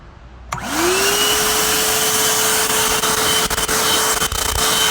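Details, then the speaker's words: Vacuum cleaner at a collector meet, before cleaning: motor spins up quickly to a steady, even high whine with constant airflow rush, no rattles or wavering; motor sounds okay, just needs cleaning. "So, motor actually sounds okay."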